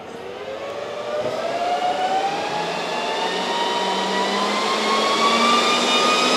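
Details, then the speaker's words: Dell PowerEdge R730 server being set up with Windows Server 2022: fans spin up to full speed like a jet, a loud rush with a climbing whine; fixed by setting iDRAC fan speed to minimum power. "so it was like a half 50 before it was so loud so it doesn't need that it only needs to be running high when it's overheating"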